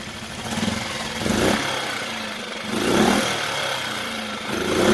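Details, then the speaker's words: Mercury 4/5 hp two-stroke outboard, new carburetor, idle turned down after a no-start fix: slow, soft steady putter at low idle without stalling; normal low idle. "Listen to that low idle. I'm good for that. I can live with this."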